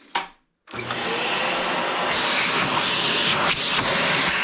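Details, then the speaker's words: Dyson DC25 vacuum after replacing the dried-out motor with a new one, plus new filters and HEPA filter: after a click the motor spins up to a steady, strong, even high whoosh, airflow changing as the hose is used; runs like new. "turn it on this is what the results were it's like a whole new dyson"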